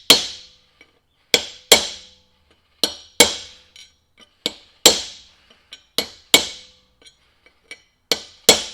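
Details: Mack Cruiseliner right front hub, bearing race being hammered into the hub with a chisel: sharp, ringing blows at an uneven pace; still sounds hollow, so the race is not yet seated.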